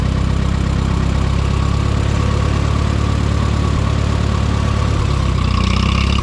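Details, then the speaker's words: Minneapolis-Moline M5 tractor idling cold on a 25-degree morning, hydraulic oil thick; steady low chug with no knocks or misses while warming up; oil pressure good, charging; seems healthy. "She's moving now, but man, the oil is thick, apparently. She's cold."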